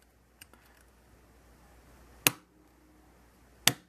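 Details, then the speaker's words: OpenSprinkler Bee shield on Arduino test-cycling four battery-operated sprinkler valves in turn: sharp single clicks about 1.5 s apart as each valve opens or closes; normal switching. "so you can hear uh from the clicking sound that the valves are being opened or closed"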